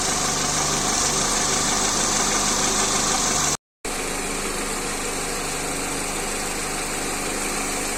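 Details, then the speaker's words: Engine at idle: busy idle with fast dry clatter about three or four per second from the rocker arms due to oil starvation. "voici le bruit des craquements des culbuteurs vous allez maintenant voir quand je mets de l'huile et là le sens disparaît"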